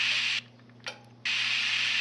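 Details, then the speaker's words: RT70 with handset, on transmit: hiss drops out, a single sharp relay click, then hiss returns; relay closing properly as it should when talking. "You'll hear it close the relay, which is what it's supposed to do when you talk."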